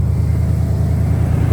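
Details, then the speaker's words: 1991 Ford F-150 Nite, 5.8 L (351) fuel-injected V8, automatic, 4x4, ignition coil recently replaced, temperature gauge reading cold: deep, steady low idle rumble with no miss, knock or tick; it runs good. "Runs good. 351."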